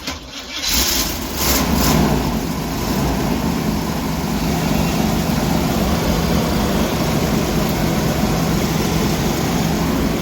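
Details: 1988 Winnebago Superchief RV, jump-started from a new battery after the old one was dead: brief cranking catches quickly, then a steady, even big-block idle without stumbles or knocks; healthy start.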